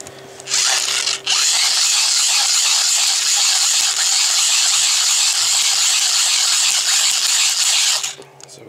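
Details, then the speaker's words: Hand-cranked USB dynamo charger wound vigorously under load, reaching about 6 volts; high busy whir with uneven clicks as the cheap internal gears skip; gear skipping under load. "under load like that you can actually hear the gears in it skipping so for arguments like let's say it's pretty much freaking useless"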